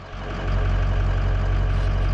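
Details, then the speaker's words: 2005 Ford 6.0 Powerstroke diesel after a no-start fix (standpipe and dummy plug update, IPR valve cleaned, HPOP suction O-ring replaced), not fully warm: deep, steady rumble settling into a normal idle on its own at 580 psi. "all right so we're back at it and she's idling on her own and you can see we're at 580 psi um and that's just normal idle now"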